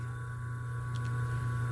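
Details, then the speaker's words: Motor on an undersized 7 µF run capacitor: a deep, even mains-pitch drone, the motor groaning rather than spinning freely. Current is 2.2 A and the auxiliary-winding current is very low, leaving the current lag uncompensated. "Aí já dá um pouco já começa a ficar roncando, porque sinal que não está. Já ficou dando aquele sinal de corrente alternada roncando."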